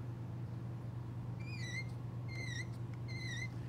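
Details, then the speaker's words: TH350 transmission with a standard spring-loaded factory sprag, not a 34-element one, turned by hand: three short high squeaks over a faint hum. Normal sprag clutch squeak. "All your factory sprags that's under a spring will usually have make that type of sound."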